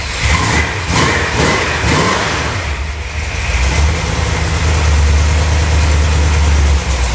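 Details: 1971 Plymouth Satellite V8, first drive in years, fresh high-zinc 20W-50 oil and good oil pressure: uneven, stumbling exhaust beat lurching as revs rise and fall; owner suspects it is missing on a cylinder or two.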